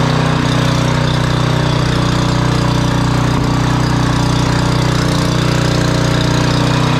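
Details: Generac 5000 W generator, Briggs & Stratton 10 hp, sat for years, wire refitted: steady, even drone at constant speed with no misses, knocks or surging; running normally.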